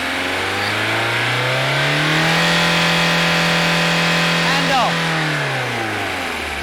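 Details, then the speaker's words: Diesel engine at an MOT smoke emission test, taken up to maximum speed around 2,500 rpm: revs rise steadily, hold flat as the governor cuts in, then fall back evenly; normal governor cut-in. "Paul will then take the engine speed right up to maximum to prove that the governor is functioning and you'll hear a a slight change in the sound of the engine as the governor comes in"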